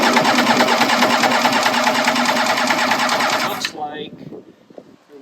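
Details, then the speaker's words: 1994 Kawasaki 750SX jet ski, about 30 years old, compression test on the rear cylinder with plug wires off: steady, quick, even cranking at about three pulses a second. Reads about 140, judged good. "have um oh yeah so we're 14 140 good"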